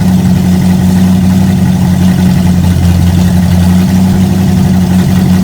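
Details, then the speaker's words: V8 after a Street Avenger carb swap and distributor conversion to vacuum advance, possibly with mineral spirits still passing through. Steady, even low rumble with no misses or hunting; carburetor working, float bowls likely still filling, normal idle. "so the carburetor is working i think it just needs uh the float bowls i think they're just filling up a little bit"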